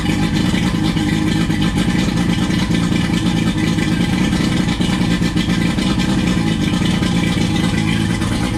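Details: Warm restart of a 20-year-old 1999 Johnson 115 two-stroke outboard on a 1999 Wellcraft 190 CCF, no choke after the cold start. It fires straight back up and settles into a steady, even burble with no stumbling. Healthy warm restart idle.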